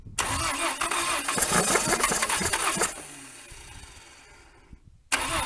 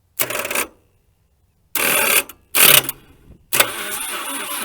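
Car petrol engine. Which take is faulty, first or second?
first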